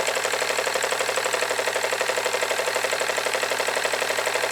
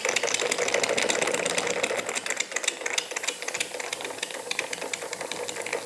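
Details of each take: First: Jensen Model 25 toy steam engine, first run: crisp, even chuffing about four beats a second, running in both directions, slightly faster clockwise; safety valve lifting a little, no appreciable steam leaks; runs smoothly. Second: Jensen Model 25 toy steam engine on first run under steam, fast, light, uneven ticking knock of about three per second over the steam hiss; knock from the crank main bearing, not the conrods or eccentric linkage; quieter in reverse.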